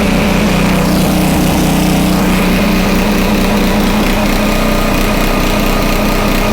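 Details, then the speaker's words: Homelite 2500 W flathead generator, repaired (stuck valve), after slight speed adjustment via dial: steady even buzz, no hunting or surging under governor; frequency stays at 60 or 59.9 Hz, voltage slightly high. "Okay, it literally stayed at 60 or 59.9. You really can't get much better than that."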